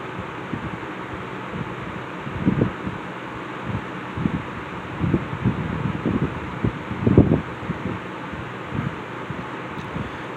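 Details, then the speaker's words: Restored Wizard 6JC3020 box fan on low speed: original motor with cleaned stator, new cord and switch, repaired blade balance and hub; soft, even whoosh of air with no ticking, rubbing or wobble; runs smooth and quiet, normal. "fans are very quiet."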